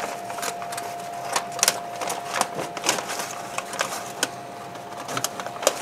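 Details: Masterbuilt Gravity Series 1050 charcoal smoker burning hardwood lump charcoal and oak chunks, brisket at 155°F: the control fan kicks on after the lid is opened to recover temperature. A steady, thin mid-pitched hum under clicks and taps; normal fan running.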